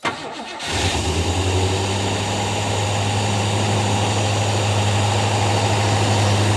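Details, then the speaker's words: Garage-find Rover P6 3500 V8 started on a direct petrol supply while hunting a fuel blockage, possibly at the filter: brief crank, catches at once and settles into a smooth, even idle; sounds all right. "sounds all right does it yeah nothing coming out in the minute"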